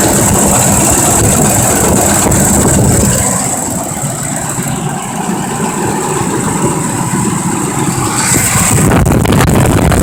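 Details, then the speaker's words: 2005 Ford Expedition 5.4 Triton with a forward clutch transmission fault, at startup: steady idle with a fast, even clack about four per second; suspected bad cam phaser or lifter. "the first thing I want to pay attention to when I get this vehicle started is the clacking noise that's coming out of the engine"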